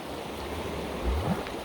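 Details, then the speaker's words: Lake drain discharging into the river after heavy rain, with a slight clog: steady rushing water with low gurgling gulps as air escapes, the drain burping while trying to start a siphon. "It's burping like crazy because it's trying to start a siphon."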